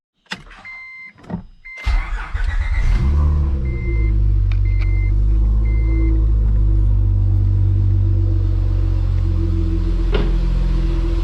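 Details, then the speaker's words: Acura TL on its first start after the supercharger was removed, now running naturally aspirated, with no leaks seen: the engine catches after a brief crank and settles into a smooth, even idle with no knocks or ticks; sounds healthy. "Sounds pretty good. Not seeing any leaks."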